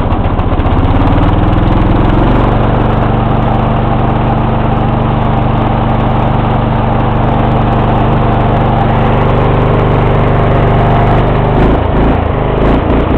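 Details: 1994 Lawn Boy with 2.5 hp Briggs & Stratton single-cylinder engine, cold start after sitting about a week: catches and settles into a steady, even drone with no stumbling or knocking; healthy cold start.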